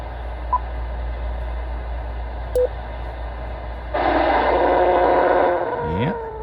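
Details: ICOM IC-7100 (IC-7300 also affected) receiver on lower HF: buzzy whine swelling into a raspy band as volume rises, interference from the internal PWM audio amplifier; fix is swapping in a linear amplifier.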